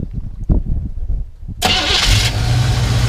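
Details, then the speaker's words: 1972 Chevrolet C20 Custom Cab truck with new battery, fresh fluids and new radiator coolant: few quick cranks, fires right up, smooth even idle and clean revs with no knocks or misses; healthy start. "runs really good you can see it's got an Excel [Music] good rev it up a little bit sounds great"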